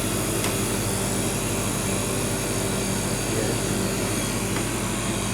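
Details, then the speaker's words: Rivacold refrigeration compressor after new start and run capacitors (was a lazy starter, relay contacts had stuck): steady even drone with low hum, no stalling or struggling; starts much better, running cleanly. "we'll fire it up and then see how see if it starts any better than it was and then we can leave it running and pull this back together straight away so they feel start up straight away again you have to push it there we go yeah starting much better"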